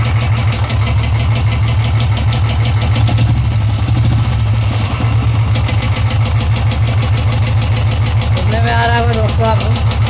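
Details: Royal Enfield 350 single-cylinder at idle: steady thump with a light ticking riding on each beat, a tik-tik noise pointing to possible valve tappet noise.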